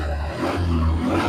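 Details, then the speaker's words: Yamaha Mio Sporty scooter after CVT repair (moved starter crank axle fixed, front pulley refitted so not stuck): steady even low drone, klotok and buzzing/ringing gone; drivetrain running normally. "The engine is running smoothly again and there is no klotok-klotok sound anymore."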